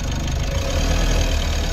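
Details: Mitsubishi L300 FB diesel, clutch pressed at idle after fixing the noisy pilot bearing and the pressure plate: even low rumble with no whir or chatter from the clutch; noise gone.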